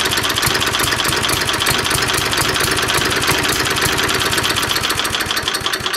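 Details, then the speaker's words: 3.5 HP Tecumseh single-cylinder engine, no throttle control, during tune-up: hammers along fast and loud with a slightly uneven beat; owner suspects too little fuel and adjusts the carburetor main jet screw. "it just stalls. So I think it's not getting enough gas. So we're gonna wind this main jet screw out a bit and try again."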